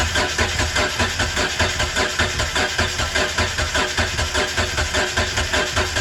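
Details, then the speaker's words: Mitsubishi 3000GT that had not started in 5+ years, cranked on starter fluid with suspect old fuel, tank or pump: starter spins steadily with a pulsing beat about 100 per minute and never catches; compression test showed most cylinders 180, one 195, one with no compression. "So the last clip should be of us trying to start the car, and yeah, it wasn't starting. But right after that I did a compression test, and then a couple of the cylinders, well, most of the cylinders were 180, which is like subpar."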